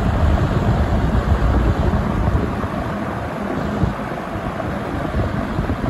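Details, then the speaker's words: Vintage 1970 or 1971 Windsor (Lakewood P-21) box fan on low speed: deep hollow whoosh of moving air with a low steady rumble, no rattles or scraping; normal running. "kind of reminds me of that 24 inch max air drum fan kind of sounds like that too it's got kind of a hollow bassy sound to it"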